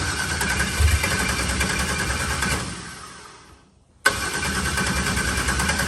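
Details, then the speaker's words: New LS-swapped turbo Mustang (TKM V8, Holley intake) on first start: fires lumpy and uneven, dies, then relights; a slight misfire while the fuel map is still being tuned, with changes to fix it. "It sounds great. I had a little bit of misfire thing to it, but he's going to fix that up real quick."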